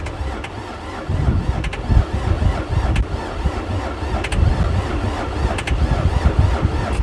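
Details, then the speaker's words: Diesel skid steer that sat unused for years: the starter churns the engine over in uneven low pulses with a few puffs and surges, but it never catches; it cranks but won't start, and the owner suspects the parking switch position. "er or it's clogging it up any but uh it just doesn't want to seem to fire"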